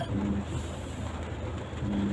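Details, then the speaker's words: Ford truck crawling on a hill: an intermittent low buzz in short bursts is the hill descent control applying the brakes gradually so the vehicle does not run away. This is normal. "yeah that that buzzing sound is what ford called a hill descent control and what happens is that it will stop the vehicle from running away so you're not having to apply the brakes manually"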